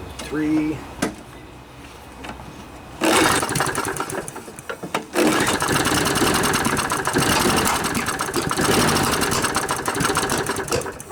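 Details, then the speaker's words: Scotts lawnmower, Briggs & Stratton 6.5 HP OHV Intek Edge engine, sat outside all winter with water and sediment in the carb. After carb cleaning it catches after a few pulls but runs ragged and surging; owner blames the dirty air filter, and the spark plug was later found gooey. "I gotta take out that nasty little bit yep it's not gonna run with that air filter it's trying"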